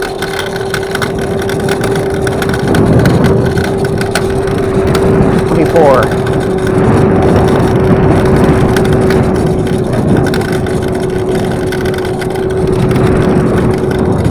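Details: Evercross H5 electric scooter, about a week old, riding: steady motor hum over a rough continuous grinding rumble from the front wheel, suspected bad bearings; replacement wheel did not fix it.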